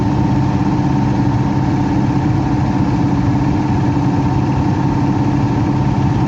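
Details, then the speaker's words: Heat pump with electric heat reported for loud noises: steady loud hum at a constant tone with rough whooshing beneath, no rhythm change; the blower motor is noisy, cause unclear. "what the heck is all this crap it sounds like the F fan motor is something's going on with the fan motor"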